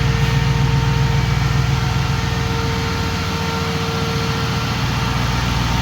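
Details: 2005 Jeep Grand Cherokee 5.7 HEMI V8 idling with AC on and the new 16-inch SPAL electric fan, replacing the hydraulic fan, running: smooth, even idle with steady fan hum, no misses or knocks; normal.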